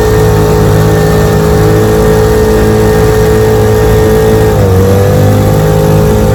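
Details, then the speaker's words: Restored 1947 Johnson HD-25 2.5 hp outboard, lake test after replacing broken carb intake manifold: steady two-stroke buzz, even pitch with a brief dip, no misses or sputter; normal running. "Had a lot of trouble with this motor. Been working on it since Christmas. It's running good now."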